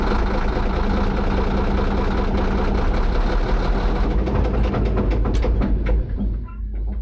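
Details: D9H crawler dozer heavy diesel runs loud with an uneven knock, about three a second, riding over the rumble. Something is knocking inside the engine; cause not yet clear.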